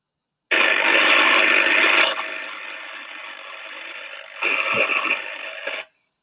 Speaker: so that one there is from a discharging defect and we can hear the crackling and the arcing and sparking going on so the algorithm is classified as a pd